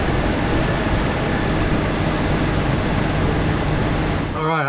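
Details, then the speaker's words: 1999 Jeep Cherokee XJ after power steering pump and high-pressure line replacement, during bleeding with most air out: engine idles smoothly with steady low hum, no pump whine or groaning; power steering sounds normal. "think everything sounds good with it I have most of the air out of it I'm gonna call it good on the bleeding"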